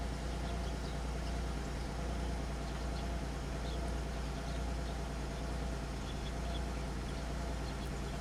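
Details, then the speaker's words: 2003 Pontiac Grand Am after the misfire repair, codes cleared, settling to idle speed: a low, steady, even idle with no stumbles or ticking; misfire data show mostly zeros apart from a brief count on cylinder 6. "I saw 6 had some there for a second. I think she's trying to come down to idle speed. It's all zeros for the most part."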